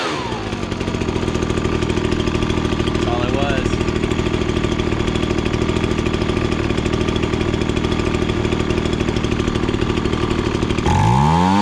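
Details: Ryobi BP42 backpack leaf blower after turning a carburettor adjustment screw about half a turn: steady even high buzz at full throttle, reaching max rpm and set slightly rich to run cooler, no sag or stumble; normal high-speed running.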